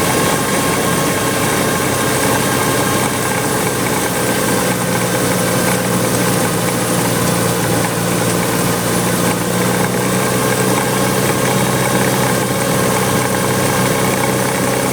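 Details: Willys MB, 1,000 miles after full rebuild, pilot bushing replaced by double-sealed 16 mm bearing: thin constant squeal over idle from clutch area; owner suspects throwout bearing, not confirmed.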